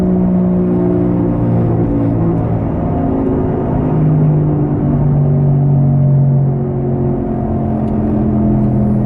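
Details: Loud, steady low rumbling drone from a car driven at about 80 km/h (50 mph), from a bad front driver-side wheel bearing found by jacking up and spinning the wheel; owner had thought it was the tires.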